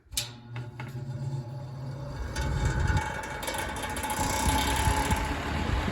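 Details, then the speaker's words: Vintage Lasko fan with heavily worn motor and stator rattles harshly over a low hum at spin-up, settling after a few seconds and rattling again at shutdown; worn fan motor rattle. "so it's going to rattle like crazy for the first few seconds and then it'll kind of straighten out and it'll run good then when i shut it off it'll rattle again"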